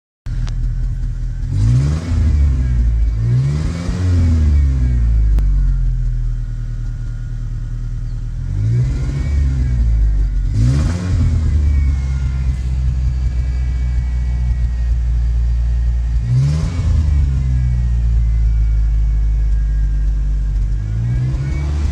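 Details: 1986 Ford Ranger 2.3 L petrol, manual, RWD, idling unevenly, its speed repeatedly rising and falling in surges instead of holding steady; owner can't fix the rough, inconsistent idle, with other issues too.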